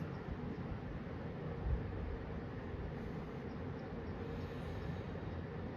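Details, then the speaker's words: 1974 Kmart (Lakewood) P23 20-inch box fan on low, heard from about 6 feet, already oiled, non-original grills: steady even low whoosh of air, no ticks, rattles or wobble; running smoothly. "This is low. It's already moving a decent clip of air."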